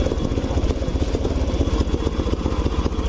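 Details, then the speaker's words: Honda Beat Pop scooter with fuel pressure normal at 40 PSI bogs at full throttle, staying low and lumpy and never revving, sometimes dying; attributed to a faulty TPS sensor. "tidak Meraung padahal ini gaspol Blackbird toh ya sama sekali tidak Meraung mesinnya"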